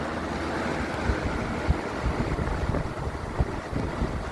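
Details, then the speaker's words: 1980 Lakewood S-223 20-inch box fan, running on high after sitting a couple of weeks: a steady, even rush of air with a low hum and no rattles or scraping; running normally. "really good air. Can't beat these fans, for sure."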